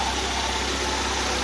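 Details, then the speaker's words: 1.3L four-cylinder (75 hp at 5400 rpm) from a 1999 Suzuki Swift (113,000 miles) for a hovercraft, makeshift exhaust, belt drive not engaged: even, steady idle hum with no knocks, misses or ticking; running smooth and healthy. "it's also very smooth it's a 4 cylinder 1.3 l it's supposed to be good for around 75 horsepower at 5400 RPM so we'll see how it does but it's running really well right now"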